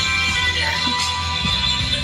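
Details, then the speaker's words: KRK Rokit 5 studio monitor that had crackled, after hitting it seemed to fix it: music plays clean and steady with no crackle or dropouts, working normally. "Okay, looks like it's fixed. This is the craziest speaker. Just crazy."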